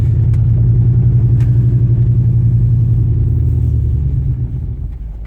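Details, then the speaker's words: 2002 Dodge Durango SLT 4.7L 4x4, 208k on dash with a 108k-mile replacement engine, sat about a year and runs rough; intake removed, throttle body cleaned. Driving, the steady low rumble sags and fades as it stops and stalls; it seems loaded up or flooded, cause unknown. "Oh, see, it died. Now, start back up. You almost got to keep it running when it comes to a stop."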